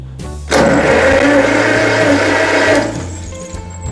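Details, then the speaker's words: 1949 John Deere Model M tractor, starter bench-tested on the tractor by direct-connecting the wire, bypassing the button; even mechanical whir about two seconds, spins freely and winds down; starter works, arcing at button contact suspected. "Yes. So the starter works."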